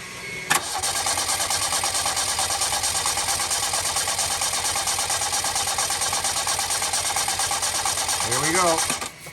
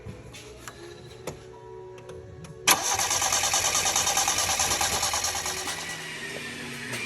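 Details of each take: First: 1987 Yugo GV that sat for 15 years, new fuel pump installed, fuel line run into a water bottle, not in gear: steady even starter cranking about three turns a second, no catch; pump delivers fuel. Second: 1987 Yugo GV, sitting 15 years, after a new fuel pump was fitted and its line run into a bottle: the starter churns at an even three beats a second with no firing; cranks without starting because it has no fuel yet.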